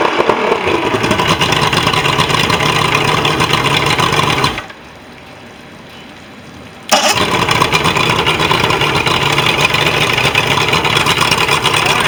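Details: Mercury XR6 150 outboard after no-start fix (contaminated fuel cleaned out, new spark plugs): fires up and settles into a steady, busy two-stroke run, brief quiet gap, then picks up again evenly; normal running.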